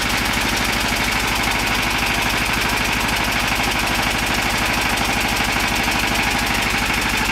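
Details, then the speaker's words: Volvox GenStation Solo prototype diesel generator in cool-down phase, running offload: steady, even chug about two beats a second, no knocks or misses; camera mic exaggerates noise level. "once the generator shuts down the the fans continue until the temperature of the enclosure there we go and as you can hear the the pans are still running and we'll continue until the temperature over the enclosure is down to something safe"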